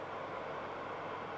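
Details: Oven fan running with the thermostat on and the element heating: a soft, steady whir of air moving evenly with no scraping, rattling or wobble, blowing out of the bottom and corner ducts; normal fan operation.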